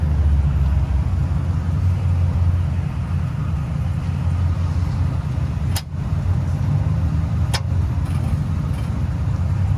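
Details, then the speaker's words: 1971 Chevelle with a small-block that had already had a new starter fitted. Two sharp single clicks about two seconds apart with no cranking. The cause was later found to be the positive wire coming out of its connector to the battery, not the starter. "it just you just heard like little just like a click oh no no yep"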